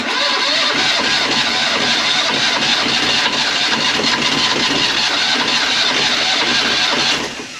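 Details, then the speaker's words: Sailboat engine cranking slowly before starter battery replacement: labored, uneven churning about three beats a second, struggling to turn over and never catching cleanly; owner suspects the starter battery lacks punch; slow cranking. "you could hear how I was struggling uh and I think it's just that starter battery doesn't have enough punch"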